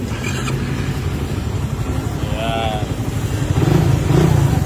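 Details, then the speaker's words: Scooter at 51,000 mileage after its first full-maintenance refresh, with the broken stock elbow replaced. It now gives a steady, even putter with no knocks, ticks or rattles. The idle is quiet and smooth again, a normal healthy idle. "Okay, tunog bago na ulit boss. Yan. Tahimik na ulit."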